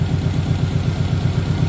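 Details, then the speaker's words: Car with two catalytic converters idling unevenly, spitting and sputtering at about eight throbs a second with a lumpy shake while the volt meter drops; the owner suspects the front O2 sensor, not confirmed. "you guys will hopefully see it in the video here and hear it how it's spitting and sputtering and not acting proper"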